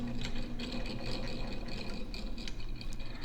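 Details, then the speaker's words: Vintage Signatrol mechanical neon sign flasher, 1962 or 1982, after a brass bushing replacement: uneven ticking and rattly clicks over a low motor whir, rough and dry-sounding; the old mechanism probably needs lubrication. "sounds like it might need a little bit of lubrication it's probably a little old."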